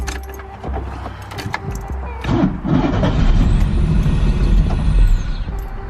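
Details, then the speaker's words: 1985 Pontiac Fiero GT-based Testarossa replica kit car, started in neutral: it catches, runs roughly for a couple of seconds and dies. The owner suspects the IAC valve is stuck fully shut, letting no air in and upsetting the air-fuel ratio; next step is removing the IAC. "and then dies starts and then does let's go ahead and pull off the connection and unscrew the ISC because I have a feeling that I see pen tilt is all the way shut it's not letting any air in so the air fuel ratio is way out of whack"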